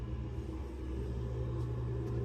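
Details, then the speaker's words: Two-zone radiant concrete floor heating with Navien tankless water heater, thermostat turned up: small circulator pump kicks on with a faint steady low hum, no knocks, rattles or whine; normal quiet operation. "I don't know if you could hear that, but the only thing going on is this little pump over here got turned on."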